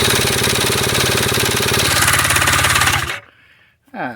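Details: 2005 Polaris Sportsman 90 two-stroke ATV that had quit running; ignition switch, coil and CDI box replaced, fuel sprayed into the carburetor. A drill spins it over in a fast, even chatter for three seconds, but it never catches or fires.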